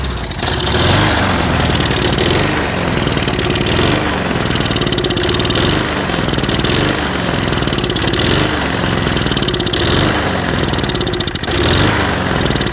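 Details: Lawn mower engine kept running on starter fluid, running rough and surging every second or two, never settling; fuel starvation at the carb, found to be clogged channel holes in the float bowl bottom bolt.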